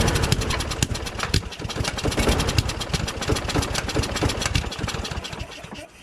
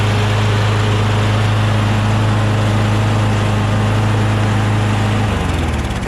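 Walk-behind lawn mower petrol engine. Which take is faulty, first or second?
first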